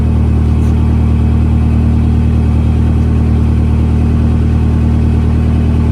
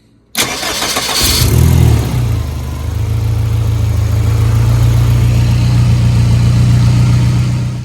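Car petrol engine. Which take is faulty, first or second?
second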